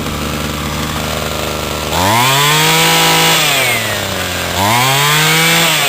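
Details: Homelite C26 trimmer after carburetor cleaning and adjustment and freeing stuck piston rings: steady high idle, then two crisp throttle pulls that climb smoothly and drop back cleanly; the two-stroke runs healthy.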